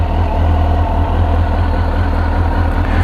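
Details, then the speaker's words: 2002 Suzuki GSX-R1000, first start after yearly maintenance (tank cleaned with vinegar, fuel pump cleaned, new air filter and plugs), about 70 degrees: smooth, steady low burble holding an even idle on its own, no misses or knocks; healthy normal idle. "she's alive see what they'd say purring like a kitten"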